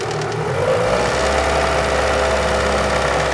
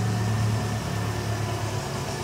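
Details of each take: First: Renault Megane 2 1.6 automatic after a major engine rebuild with new hydraulic lifters, which were quiet at first but began tapping after some time: light, fast ticking at raised revs. Lifter tapping. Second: Renault Megane 2 1.6 with automatic gearbox after major engine repair, still on old tensioner and drive belt: smooth steady idle with even low drone, no tapping, knocking or misfire; engine runs well.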